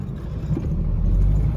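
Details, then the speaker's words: Junkyard Ford automatic, starting and idling: low, smooth, even engine hum with no knocks, ticks or uneven beat; sounds healthy and runs well. Normal running. "Kita hidupin. Suaranya masih halus ya. Tuh, suaranya masih oke."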